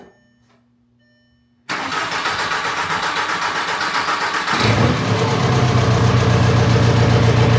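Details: MK4 VW Jetta TDI diesel with a straight-piped exhaust, first start after replacing the seized AC compressor, dryer and snapped serpentine belt: a short crank, then it fires and settles into a steady diesel clatter; it starts and idles normally.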